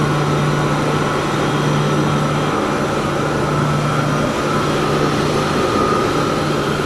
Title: chilled pump motor 75 HP..abnormal sounds inspection...